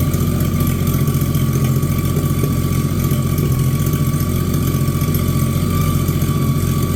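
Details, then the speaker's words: Abandoned Chevy 216 inline six for 1950 Chevy 1-ton truck: low lumpy idle, uneven beat about four pulses a second, one cylinder sounding weak; still using oil and smoking, not running well, cause unconfirmed. "still using oil it's smoking and it's not running the greatest"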